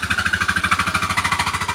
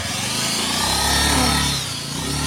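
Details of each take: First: Scooter with strange noise and no power when pulling away, engine running: pulsing about twelve times a second with a rattly buzzing clatter from the CVT, from jammed variator rollers. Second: Scooter test ride after replacing the CVT roller set and roller housing (aftermarket) to fix a strange noise and weak pull at take-off: pulls away smoothly, pitch rising evenly, no rattle or grind; a remaining whine comes from another part, not the CVT.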